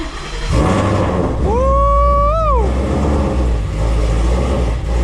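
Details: Running after a long lay-up and a new fuel system install. Strong, steady engine rumble with an even beat and no misses or knocks, with a short rising tone passing over it. Normal running.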